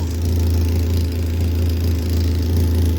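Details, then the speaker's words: BMW E30 Touring with an M44B19 swap: steady idle with a soft rapid puffing chuff on each pulse, from an exhaust leak at a joint assembled without its gasket. "Il y a une fuite. Ah oui, j'avais pas le joint, je crois. Et j'ai mis sans joint."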